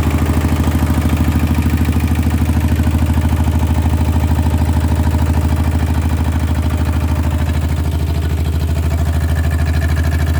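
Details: RT100 two-stroke motorcycle at idle after draining engine oil that had not been changed for a long time: a steady, even idle with a regular low putter and no knocks or rattles; sounds healthy.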